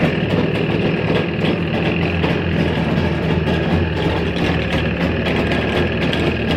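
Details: Jawa 350 type 638 two-stroke idling: rough rattle and sharp ticks recurring over the exhaust burble, an extraneous mechanical noise from inside the engine.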